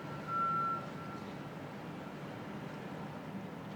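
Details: Construction vehicle reversing alarm at 2 World Financial Center (2 Brookfield Place), Battery Park City, Lower Manhattan, 7:15am April 15 2014, heard by residents 400–500 feet away: single clear high-pitched backup beep over low distant site rumble.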